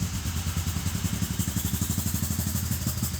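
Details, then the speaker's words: 1992 GMC Typhoon, turbocharged 4.3 L V6, during restoration: low, lumpy idle with uneven pulses about three per second, stumbling and shaking; runs badly, cause not yet pinned down. "man this runs horribly but as you can see it didn't run the best and we need to fix that too"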